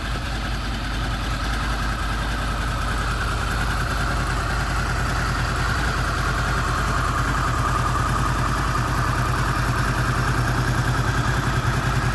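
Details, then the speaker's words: Honda VFR800 VTEC V4, 58,200 mileage, first start after cam chain replacement, warmed to 43 °C, mic close to engine: steady even idle with smooth low rumble and no knock; sounds healthy. "я дал двигатель прогреться до 43 градусов мы сейчас посмотрим как он работает поближе на камеру"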